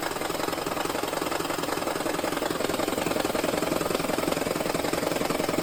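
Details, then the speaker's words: 2013 Lexus CT200h hybrid, 1.8L 2ZR-FXE, shuddering despite an earlier EGR cleaning and losing coolant slowly: rhythmic rough pulsing at two to three beats a second. Misfire; owner suspects a head gasket leak. "And with the shuddering still happening, the coolant low, that's why I think it's the head gasket."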